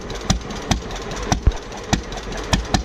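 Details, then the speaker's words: Modified diesel pulling truck with smoke screw turned up, idling: heavy lumpy thumps about twice a second with quiet gaps; running good, normal idle. "She's running good."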